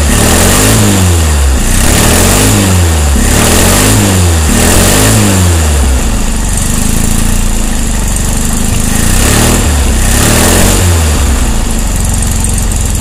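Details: 1600 DP engine with fresh heads, timing 7.5° BTDC and valves at 0.006. Loud rough running with repeated popping surges as the revs rise, backfiring through the carburettor; cause unknown to owner.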